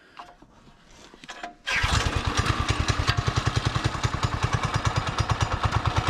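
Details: Barn-found Subaru Hyper Fox (Manco) go-kart engine, carb refitted, air filter assembly missing, running on choke: catches after a quiet start and settles into a steady, even thump about three to four beats a second; running normally.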